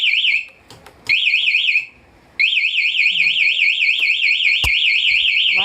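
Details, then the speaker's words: Honda Beat scooter aftermarket one-way anti-theft alarm tested: fast warbling siren gives short bursts then one long wail when tampered with, and the engine won't start; alarm tamper siren. "Oke jadi kalau dibobol suaranya itu panjang ya Mas ya"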